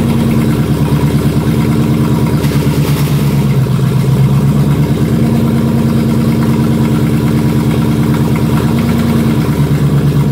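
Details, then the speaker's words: Jaguar S-Type R V8 (406 hp) idling while gears are selected during a gearbox oil refill, with a rough disturbance like a missed shift. The gearbox previously would not shift past 3rd; cause unconfirmed. "ça ne fait pas un bruit dégueulasse là ? Comme si tu ratais la vitesse oui."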